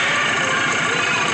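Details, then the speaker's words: Kawasaki ATV right after drive belt replacement, belt light off: steady even idle with a bright, busy exhaust note, no knocks or rattles; normal idle. "Belt light's off. Start it up. And you're ready to go."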